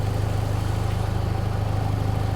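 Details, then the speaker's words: 1993 Ford 2.3L Lima engine, first start, cold, 122 degrees: in gear idle drops from 950 to about 700-780 rpm with fast pulsing shake, not stalling; rough idle in gear, cause not yet found. "I mean, it's not stalling out or anything, but it shouldn't vibrate like that when it's in gear."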